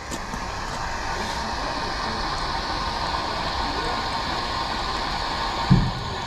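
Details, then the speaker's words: Fire sprinkler system refilling after replacing corroded heads: steady unbroken hiss of trapped air escaping the open auxiliary drain until water flows. "So we'll wait till the water starts pouring out of that. Then we'll go up inside and close the valve. Okay, there it comes. So that means all the air is out."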